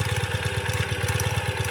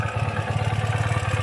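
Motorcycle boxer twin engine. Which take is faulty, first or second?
first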